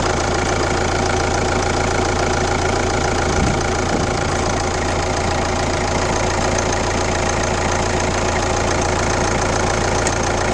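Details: Kia Ceed 1.6 CRDi diesel (D4FB, "115"), idling: an uneven knocking tap about three times a second rides over the diesel clatter. It is an abnormal engine noise whose cause is not pinned down.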